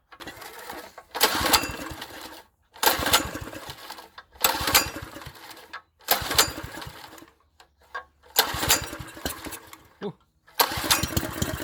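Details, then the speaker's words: Wacker plate compactor with poor maintenance, fuel primed; seven pull-start bursts die back to silence with no firing; cranks but won't start; owner suspects a float chamber fault, possibly a missing plate. "yeah and that um floats that float chambers not that flake chambers not right"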